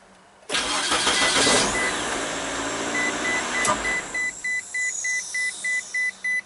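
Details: 2003 Mazda Protege5, no-crank in park, tested in neutral while metering the starter solenoid feed wire: short crank, clean catch into a smooth idle, then a steady repeating chime; starts normally.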